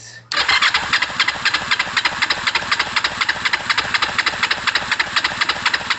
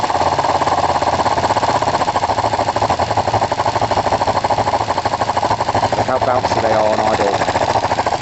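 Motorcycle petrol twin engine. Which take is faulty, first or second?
second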